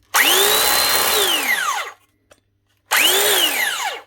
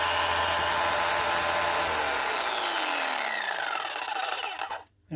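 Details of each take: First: Arbortech Allsaw mortar saw that won't cut, before repair: spins up to a high whine then winds down quickly with a dragging note, running stiff, hot air and smell; drive belt stretched and dropped on the pulley, belt slipping. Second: Arbortech Allsaw mortar saw after dropped, slipping drive belt was reset and tensioner pulley tightened: smooth, even high motor whine with no slipping or chatter, then clean wind-down when switched off; running as it should.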